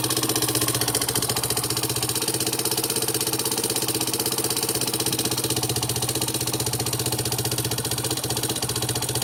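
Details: Yamaha Serow 225 with auction-bought XT225 1KH/1RF engine swapped in, running XT225 3RW1 CDI: single-cylinder idle with a sharp, fast metallic ticking about four per second on every firing stroke; abnormal engine noise, cause unknown.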